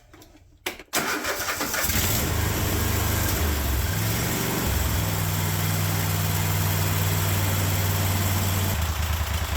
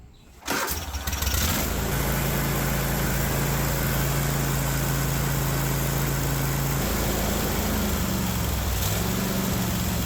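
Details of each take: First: Kohler 24 hp SV725 engine on a Cub Cadet 1050 Hydro, just after the carburetor idle circuit was cleared and the carb reinstalled, started on choke: it settles into a steady, even idle with a low regular beat, slightly higher than desired. Normal idle. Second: Kohler 24 hp SV725 engine on a Cub Cadet 1050 Hydro with 52-inch deck, after carburetor work: it starts and holds a fast, steady speed that never drops to idle. The governor won't let it idle.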